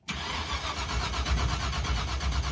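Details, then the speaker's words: 1970 Dodge Super Bee, 440 V8 with a fire-truck coil and a borrowed ignition box: steady, even starter cranking that never fires; ignition box light blinking but no spark, so they check the rotor and plan to change the distributor pickup. "blinking. That's weird, dude. That's got no spark."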